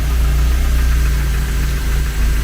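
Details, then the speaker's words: Renault 11 TXE carburettor engine after carb adjustment, air filter off, dipped headlights on: deep even idle rumble holding steady, no hunting or stumbling; CO still to be checked; normal idle. "Fais voir parallumer. Non, elle tient malgré que les Ouais, elle fonctionne les feux de croisement. Ouais, elle tient très bien."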